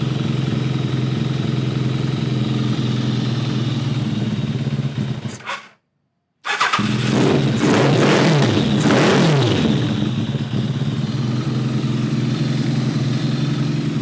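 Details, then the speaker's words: Kawasaki ZRX1200 with rebuilt, badly worn Keihin CVK carbs, started without the enricher: a ragged, uneven four-cylinder idle that stumbles and hunts and smells bad; later judged a jetting issue; rough running. "I don't know, it doesn't sound good. What in the hell is going on? Come on. Smells like crap still."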